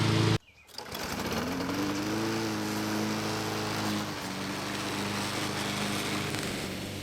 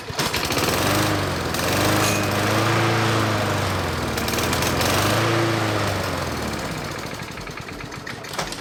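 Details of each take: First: Lawn mower after carburetor cleaning and replacement of a leaky fuel line: after a brief pull start it settles into a steady, even drone that holds speed; it runs normally. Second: Lawn mower starting and stopping repeatedly: runs rough and throbbing, then sags and dies; stalling from a dirty carburetor, fixed by carb cleaning.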